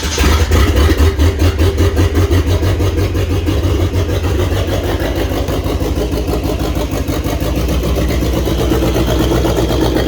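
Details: 1927 Ford Roadster with 2.3L turbo engine after fuel system repair and auto fan switch, new ECU, coolant bled with no leaks: catches quickly and settles into a steady, even low idle with no stumbles or knocks.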